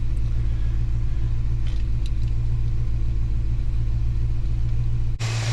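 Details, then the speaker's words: Holden HK V8 after new valley fitted, warming up, waiting for thermostat, left bank 4-5 degrees hotter: deep, lumpy, loping rumble, running rough; owner suspects the carby he had in pieces, not confirmed. "she sounds like she's running a bit rough but that could be um because of that uh cub um gabby that i had in pieces"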